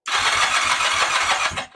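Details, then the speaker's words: 1979 Kawasaki KZ400 (398 cc) long-stored project bike, ignition on: rapid uneven cranking pulses with a few sharp catches dying out in under two seconds; fires briefly but won't keep running. "I heard something there. [snorts] Game on. Game on. We're building the bike."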